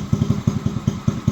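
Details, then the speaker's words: Icebear Maddog 50cc scooter run from an electric fuel pump, pump audible: an uneven putt-putt idle sags and nearly dies. Idle jet adjustment has no effect, so a carburetor fault is suspected, not confirmed. "yeah I think it's going to die oh there she goes but you can hear the fuel pump working"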